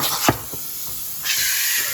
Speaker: so yeah the frothing wand just underneath the surface of the milk should off to the side should start spinning in a nice Vortex and you can see the temperature going up the green area